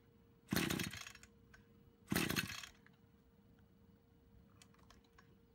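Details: Brush cutter two-stroke after repair of a fuel leak from a split hose (it had stalled while mowing): steady light idle, then two crisp revs falling back cleanly; running normally.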